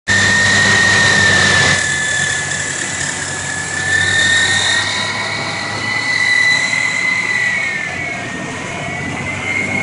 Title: 2000 Explorer 4.0 SOHC Engine Noise